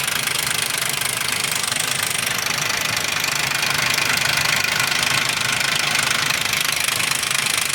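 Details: 2001 Ford Explorer Sport 4.0 SOHC at idle: loud, fast, continuous metallic rattle, with low compression on all three right-hand cylinders; owner suspects the rear right-hand timing chain or cam sprocket.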